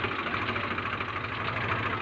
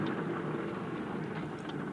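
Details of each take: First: Swaraj 735 tractor with an owner complaint of loud noise from the rear tyres (suspected pinion bearing), brakes also not working: steady diesel idle before the test drive, with no whine, growl or grinding from the rear axle, which sounds okay for now. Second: Swaraj 735 tractor, rear wheel turned by hand with brakes removed and engine off: steady rough grinding rumble from a dry, worn bull pinion bearing with play; louder at speed, also brake issue present.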